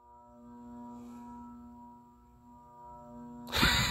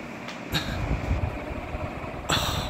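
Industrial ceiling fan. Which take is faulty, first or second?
first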